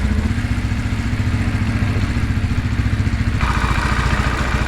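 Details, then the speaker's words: New RPS Cruiser 300 EFI motorcycle, 300cc liquid-cooled single with counterbalancer, four valves and fuel injection, at its first start after assembly with the radiator warming. The even single-cylinder idle is smooth, with no clatter or misses, and the motor sounds good. "Motor sounds good."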